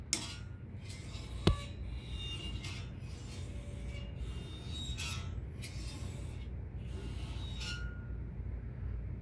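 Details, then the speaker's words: Brand-new, out-of-box RØDE PSA1 microphone boom arm; dry scratchy rasps and a sharp click each time the arm moves as the internal spring rubs metal to metal. "It's rubbing metal to metal right here, and the spring inside of here is"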